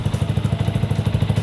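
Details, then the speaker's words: Yamaha R15 V2, just after an oil change to Motul 5100 Ester, idling: steady even putter at about ten pulses a second, no knocks or ticks; owner finds it smooth; normal idle. "Oke, secara garis besar, dari yang saya dengar, ini cukup lancar, teman-teman."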